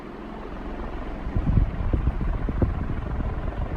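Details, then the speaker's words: 1981 Evergo 36-inch industrial ceiling fan, model 3E-6, cast-iron motor, aluminium blades, at about three-quarter speed: even low whoosh and thrum of big blades moving serious air, no rattle, scrape or wobble knock; normal running. "starting to crank out some serious amount of air now"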